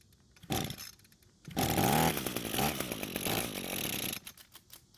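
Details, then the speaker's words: Free curbside Echo two-stroke string trimmer, air filter dry and clean: after fuel poured into the carb throat it catches and buzzes hard about three seconds then cuts out dead, running only on the primed fuel; carburettor isn't delivering fuel, to be removed and inspected. "after putting some fuel into the car's throat it finally started and ran for a few seconds which is great news that means that the carb isn't getting any fuel to the engine and we need to remove it and inspect it for any issues"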